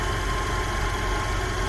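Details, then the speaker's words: International 1210 truck with a Holley 2300 Super Sniper EFI, warm at 180°F coolant, battery recharged, idle air control 2–10: smooth, even, steady idle with no stumble or knock. Healthy. "everything's looking good coolant Temps at 180 batteries already charged back up"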